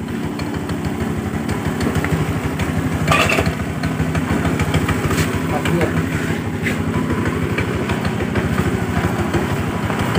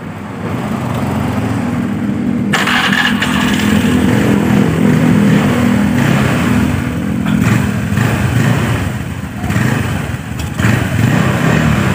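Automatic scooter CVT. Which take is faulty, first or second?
first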